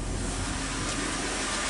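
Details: 2002 Chrysler Sebring 2.7 V6 idling after alternator replacement: brief steady idle, even rush, no earlier whine above the engine, no battery light, voltage good; normal idle, charging side quiet.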